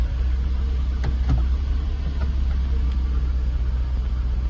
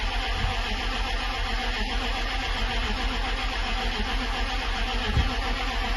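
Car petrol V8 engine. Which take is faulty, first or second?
second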